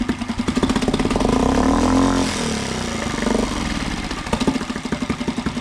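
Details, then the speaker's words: Mariner 3.5 HP four-stroke outboard after maintenance, run in gear with the propeller spinning in a water bucket on a homemade stand; even thumping at about three beats a second, dips briefly and recovers; normal running in gear. "and now if I put it in gear it also works with gear now the propeller is spinning"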